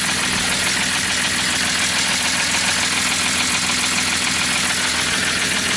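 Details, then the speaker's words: BMW E46 with M54 engine at idle, run after doing donuts: loud, fast clatter of ticks, about three a second, like the loudest lifter; adding excess oil didn't help. Oil pump nut fell off, pump lost drive, no oil pressure, starved valvetrain. "it just sounded like awful just like the loudest [ __ ] lift or taking the planet and we checked it out we couldn't figure anything out we put more oil in it like way too much oil but it still didn't fix [ __ ] there was no oil"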